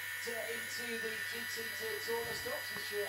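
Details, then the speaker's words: Scorpion 1 arcade board running All In A Day's Work, battery corrosion damaged audio section: steady hum and buzz under sound output, interference improving; suspected corroded traces and wrong 25k potentiometer fitted instead of 100k. "Still quite a bit of interference coming off the board. You hear the sound there isn't perfect. It does improve."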